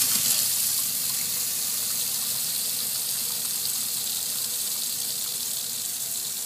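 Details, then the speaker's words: Basement sink faucet after a smart automatic water shut-off valve closed on an Insteon leak alert: steady water hiss fades as upstairs water drains down by gravity and pressure dies away, confirming the supply is shut off. "you will see some water pressure at first but the only reason is because all the water from the second floor is using gravity to drain down through this faucet but you will see that the water pressure is gone"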